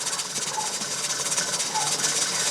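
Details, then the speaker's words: Pressure canner with tomatoes on outdoor LP hotplate, gauge just over 11 psi, flame turned down to hold pressure: continuous sharp steam hiss with fast rattly flutter from the weighted jiggler rocking; normal at operating pressure. "she's handling the fire and you see the jiggler going to town there and it's just over 11 pounds on the pressure gauge"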